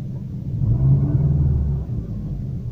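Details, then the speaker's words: Lanos/Nexia-type engine, cold, just after throttle position sensor calibration to about 0.55 V: low rumble that swells and sags over a couple of seconds, a hunting idle that seems short of fuel. Cause unconfirmed. "странно так реагирует необычно как будто не хватает газа"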